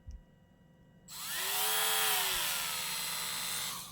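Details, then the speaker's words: Wen 23072 cordless rotary tool at switch-on: whine shoots up in pitch, overshoots, then sags to a lower steady speed, an overspeed-then-slowdown that owner says in quality power tools indicates a load-sensing power controller. "see how it overspeeds and then slows down? A lot of quality power tools, when you hear them do that, indicates that it actually has a load sensing power controller."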